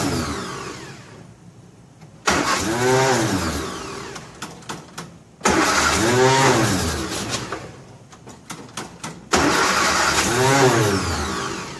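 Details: 1957 Nash Metropolitan barn find, sitting for many years, cranked after pumping fuel with the manual choke: three long cranking bursts, each with a few firings that never catch; plug wires 3 and 4 are crossed, so it won't start.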